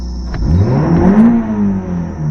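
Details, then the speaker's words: 1985 Toyota MR2 after the cylinder misfire fix (distributor cap checked): short crank, then the engine catches cleanly and revs smoothly under acceleration with no hesitation or misfire, still idling a little high. "that's way better and you don't hear the the kind of uh hesitation or misfire I guess the sound is very very smooth"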